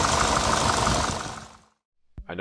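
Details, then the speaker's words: Chrysler PT Cruiser GT engine started the morning after a two-hour drive: heavy, rapid diesel-like clattering knock over a rough idle; sheared cam pin left a valve stuck open. "thinking that sounds horrible it does this all happened a while ago but i figured i should make a video of it since it's pretty interesting after taking a two-hour drive home and parking the car the next morning when we started up i noticed it sounded like a diesel"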